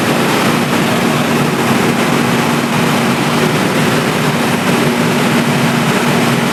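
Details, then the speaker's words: Diesel generator running in auto mode after mains supply cut off, relay switching supply to generator output: loud, steady, even low drone with no knocks, surging or hunting; normal running. "तो दोस्तों इस तरह से हमारा जैसे ही supply out किया है relay का टॉट ले लिया और ऑटो में भी हमारा जनरेटर चल के सप्लाई आउट किया"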